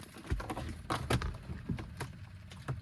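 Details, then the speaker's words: BMW 328i xDrive with a seized N52 engine, key on and engine not turning over: irregular dull clicks from low in the car, blamed on a dead battery. "Like I said, engine is C, so the battery is dead. That's why you kind of hear that clicking noise down there."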